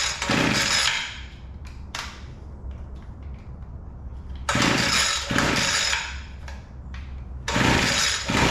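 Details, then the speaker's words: Weed Eater GHT22 two-stroke hedge trimmer, long unused, after carburetor adjustment (high-speed needle was too lean, low-speed too rich): steady idle between sharp throttle blips, revving up cleanly; now running properly. "again oh all right that sounds pretty good"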